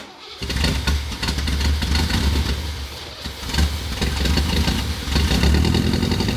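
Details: 1963 Corvette split window, 340 hp V8 with Race X carburetor, first start after sitting; cranks briefly, catches within half a second and settles into a steady lumpy V8 idle, no knocks or misses; small coolant bypass hose leak found afterward.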